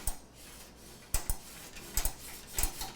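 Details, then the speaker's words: PC build in Phanteks Enthoo Evolv ATX case: irregular sharp ticks in small clusters, about one burst every half second, from a fan blade bumping the extra four-pin power cable; smooth once the cable was moved. "bumping into that extra four pin power cable right up there that's what you hear that clicking oh I've moved it now it's smooth"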